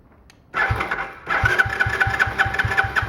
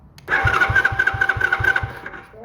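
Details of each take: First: Small free ATV, fuel had been drained after sitting, choke on: starter churns steadily for about four seconds without a single catch. The spark plug wire had been left off and the plug possibly not tightened. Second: Small free ATV/four-wheeler, starter solenoid jumped from a big charged battery: quick, even cranking, about four compression pulses a second over a steady starter whine. Starter is fine; solenoid/kill switch circuit faulty.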